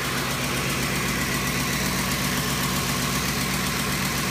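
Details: Ford Triton 5.4L V8 with VCT, ticking near driver-side valve cover: steady idle, light tick about four per second, slightly uneven beat; exhaust manifold replaced without change; failed coils caused misfire the ECU compensated for, fixed by replacing all 8 coils and plugs.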